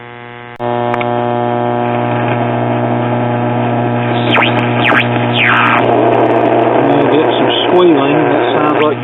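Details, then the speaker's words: 1937 Philco 37-93 cathedral tube radio, first power-up at about half voltage with antenna: loud steady low hum under station tuning whistles; hum caused by bad power supply filter capacitors. "we can pretty much be assured right off the bat that the power supply filters are bad that's the reason for the hum a"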